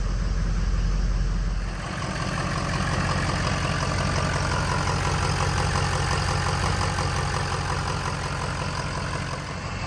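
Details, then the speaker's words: 2003 Ford F-350 6.0 Powerstroke at idle after a valve was put back in to restore base oil pressure: smooth, even, low diesel clatter for about ten seconds, no misses or knocks; normal idle. "so she's running smooth right now"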